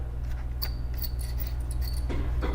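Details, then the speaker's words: HP 17.3" laptop 17-g121wm CPU cooling fan: short, thin high-pitched squeaks over a low hum; dry, crusty, basically seized fan bearing, being replaced. "it's all squeaky it's crusty it sees basically seized up"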